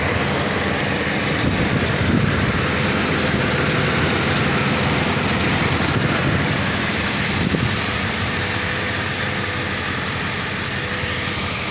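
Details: Jeep ZJ started right up after sitting undriven for five months: steady, even idle with a smooth low rumble and no knocks, misses or surging.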